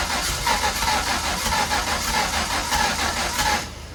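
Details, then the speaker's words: Ford Zetec turbo engine in an MK1 Fiesta on a start attempt: rough, lumpy running with uneven beats and a ragged exhaust, needs 50% throttle to keep running; misfiring on two cylinders from an unplugged injector connector, with oil spewing out the front. "I mean, it's running like an absolute dog, and if I don't give it at least 50% throttle, then nothing happens."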